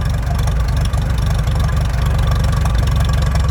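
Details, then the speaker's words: Old machine on a warm day with fuel shut off, left running to use up its gas before storage; low, uneven chuffing idle about four beats a second, growing ragged and stumbling as it runs out of fuel. "So, we'll let it run out of gas. I'll shut the ignition off and we'll be good. already. Already the motor's running out of fuel."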